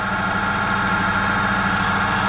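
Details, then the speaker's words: Valve refacer grinding valve number 2 from a head under guide repair; steady grinding hum with uneven rise and fall as the valve spins with visible wobble, running out of true: bent valve, appears previously reconditioned. "Oh, straight away, yeah, you can hear it. It's not very good at all, that. Yeah, that valve's exactly the same."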